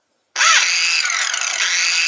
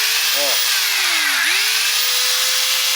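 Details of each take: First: Makita angle grinder: spins up with a rising whine then runs with a harsh, uneven hiss and rasp, sometimes starting badly, sometimes fine; abnormal running noise, owner suspects a failed bearing, not confirmed. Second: Makita angle grinder after lubricating its two bearings (small and lower): steady smooth high motor whine, noise reduced and acceptable, no grinding; temporary fix, bearings still need replacing.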